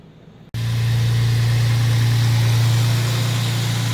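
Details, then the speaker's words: G35 with aftermarket tubular headers idling smoothly and evenly after the header-to-steering-shaft interference fix, with new bolts, gaskets and downpipes retightened: steady low hum, no rattle or vibration, dash rattle hopefully cured. "well i don't yet hear any vibrations [Music] so hopefully it's good"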